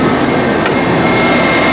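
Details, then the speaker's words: 1984 Rolls-Royce Corniche after head gasket replacement and fixing the dead back cylinders, once settled after start: steady even idle, soft constant hum, no misses; owner still suspects one or two clogged injectors causing hesitation. "you know it's running pretty smooth and it's idling pretty smooth right"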